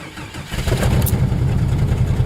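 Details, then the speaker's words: Jeep engine idling lumpy and uneven with a stumbling beat with a meter reading about 14.7 V charging; big-time miss on a cylinder somewhere, owner unsure which, possibly low on fuel; cylinder misfire at idle. "sounds like it's missing on a cylinder yeah big time Big Time missing on a cylinder somewhere"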